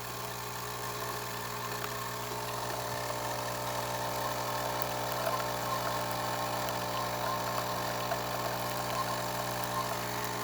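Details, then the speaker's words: Saeco Intelia 5009b espresso machine after service, brewing: steady mechanical hum, low drone, faint irregular rattling from the brew unit, which needs deep cleaning and new O-rings to remove the noise; crema and steam otherwise good. "noise that you hear right over here is from the brew unit. We will have to deep clean it and replace some of those O-rings in order to."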